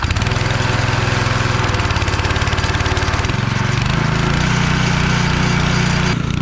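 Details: Pressure washer engine, test run with water hooked up: small single-cylinder runs fast and steady, firing evenly with slight pitch shift under load; healthy.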